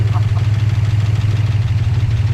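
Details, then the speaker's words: 1959 Plymouth Suburban with Poly V8, tired and using oil, just started after sitting since Friday, little choke: steady even idle with light valvetrain clack from solid lifters; normal. "A little bit clacky. Oh, it's a solid lifter motor. Yeah. Oh, that sounds awesome."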